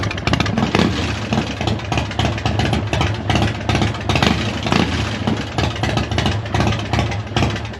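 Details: 22-year-old Harley V-twin after fitting a new battery, as the old one wasn't delivering enough cranking amps and caused spark problems; fires up into a loping, uneven potato beat, holding steady without stumbling or dying: normal start and idle.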